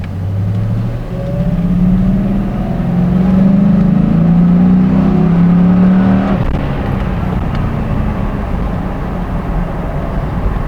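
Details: 2001 Ford Mustang GT V8 rising then hanging at a raised steady idle around 1,600-2,200 rpm after a new idle valve, instead of settling low; earlier it stuck near 3,000 rpm.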